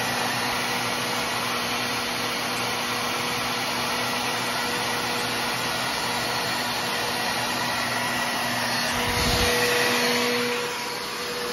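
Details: Trash-picked older Bissell PowerForce Helix Turbo 68C71 upright vacuum running: constant high motor whine with slight wavering buzz and a brief surge; has suction but sounds rough, owner suspects the motor needs a cleaning.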